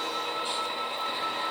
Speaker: And so one good thing about having dirty track a little bit, there's a little bit of dust on there. I can hear the wheels sort of making that little crunchy noise as they go over it.